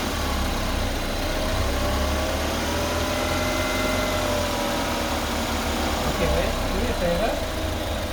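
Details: 2015 BMW 228i N20 petrol at 74,000 km idling with a thin steady whine of slightly wandering pitch; owner unsure if normal, cause unknown.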